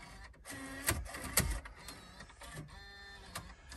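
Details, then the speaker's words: Chrysler Town & Country van, 226,000 miles, at key-on: quiet irregular clicks and whirring bursts from the dash DVD player, which seems to have something stuck in it; mechanism clicking and hunting. "it's got a DVD player in it DVD player is freaking out"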